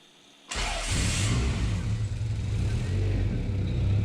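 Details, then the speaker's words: Turbo Honda Accord after repairing a line, no leaks underneath: brief crank, catches in about one second and settles into a steady, even run; normal start. "Let's start the car. Let it run for a bit. Starts. Starts great."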